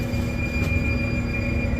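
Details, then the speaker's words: Water-well drilling rig pump after grouting: steady high-pitched squeal at one pitch over low pump rumble; crew thinks the pump needs grease, suspected dry bearing or shaft, not confirmed. "sounds like we need to grease that pump over there."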